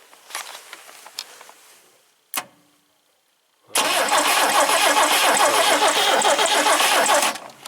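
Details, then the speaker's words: 1971 International Scout 800 with an AMC 232 and BW35 automatic: scattered clicks, then it catches and runs steadily. Hard starting, suspected voltage drop in the wiring; the resistor wires were bypassed and the points are likely bad. "it looks like it's just a typical international problem where there's just a voltage drop somewhere in the wiring."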